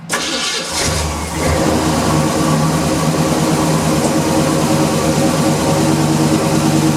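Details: 1977 Chevrolet C10 V8, sat nearly 2 years, gas poured in carburetor after weak battery: catches after a few cranks and settles into a steady, slightly lumpy idle; running pretty good.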